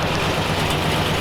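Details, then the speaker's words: 1940 Ford Tudor after carburetor cleaning and exhaust leak repair, with a tiny pinhole leak remaining: steady, even low rumble at a slightly fast cold idle with the choke on. No puffing or ticking; the engine sounds healthy. "so I would say that's a win it's not so obnoxious you can hear the engine actually running now I have the idle the choke still on it's still cold so it's idling a little high"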